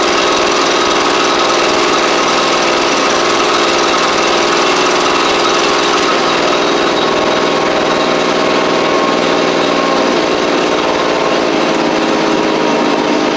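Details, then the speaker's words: Echo PB755ST backpack blower after replacing the carburetor, suspected bad diaphragm, which had made it quit off choke and on throttle: a loud, steady high two-stroke buzz with constant fan roar and no surging. It now runs properly. "That's all it needed, which is great. Crank it back up here."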